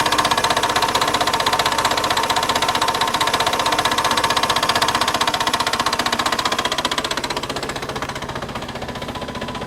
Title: Piagio Xevo 125cc Engine Knock